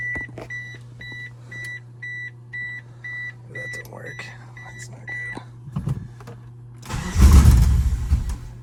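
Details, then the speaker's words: Mitsubishi Eclipse AWD Spyder under rebuild, with coolant lines plugged or open: chime beeps about four times a second, then a short burst of even cranking with a regular beat. Compression judged good. "It's got good compression, so that's good."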